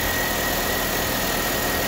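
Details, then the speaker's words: Chevrolet Sonic 1.8 with ticking and code P0366, after replacing the faulty camshaft solenoid: even, steady idle hum with no ticking or knocking; ticking gone, normal idle. "Ну, уже бы застучал."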